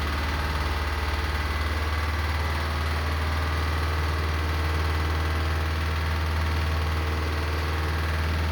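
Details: Lister emergency diesel for the air compressor and fire pump on the M/V Steve Irwin, just after the hand-crank start: deep, steady thump about four beats a second, even throughout; normal idle.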